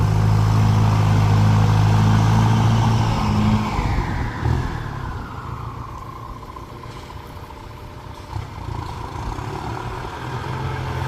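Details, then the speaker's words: Ford 5000 (68) turbo diesel tractor pushing soil, with the rear axle/final drive checked. Steady diesel rumble easing off, with no whine or clunk from the rear; rear gears described as smooth and quiet. Normal. "เกียร์ท้ายก็ไม่มีเสียงครับนิ่มเงียบดิ"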